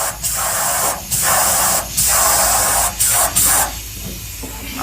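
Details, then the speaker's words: Forgotten Ford F100 fuel line soaked with brake and carburetor cleaner: sharp hissing bursts of air and spray pass straight through in quick pulses; blockage broke loose, fuel line now flowing freely. "hey look at that whatever was in there broke loose well that's awesome news"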